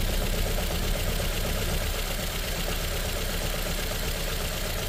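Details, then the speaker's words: Ford Figo petrol/CNG engine at idle with a lumpy, uneven stumble two to three times a second and very bad vibration inside the car; cylinder misfire at idle, faulty cylinder not yet confirmed. "यह ऐसे vibration है गाड़ी के अंदर मतलब बहुत बुरा vibration है हमें कन्फर्म करना है कि कौन सा सिलेंडर से मिस फायर कर रहा है"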